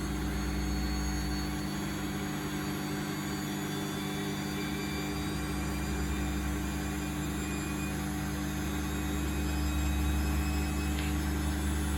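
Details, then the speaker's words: Bosch WFF1800 washing machine, owned nine years, spinning an empty drum on a lower spin setting: a steady hum and low rumble, slightly uneven and rough, with the pump rattling along; the motor sounds tired, owner suspects the brushes. "Doesn't sound great. I should probably check the brushes once I have it out."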